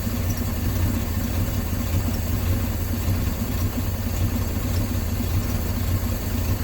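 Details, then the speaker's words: 1968 Dodge C600 shop truck, not run in nearly a year, warming up with the manual throttle: uneven, loping idle with an irregular low pulse and faint hiss from a vacuum line left unattached on the back of the carburetor. "I forgot just now I just forgot I've got a vacuum line unattached on the back of the carburetor there"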